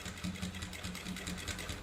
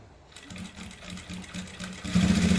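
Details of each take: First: Sewing machine stitching through a thick seam of six-layer thread after soap was rubbed on the cloth: steady four to five stitches a second, loud thak-thak needle knock now reduced to a soft, even knock. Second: Sewing machine stitching a thick folded seam (six layers of thread): steady heavy thudding knock growing louder as the needle forces through, risking needle breakage; fix suggested is soap and machine oil on the cloth.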